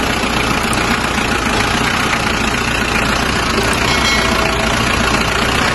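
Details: Mazda BT-50 diesel after vacuum solenoid valve repair for rough noise and no power: steady idle with even clatter, no misses or knocks, constant speed; sounds healthy.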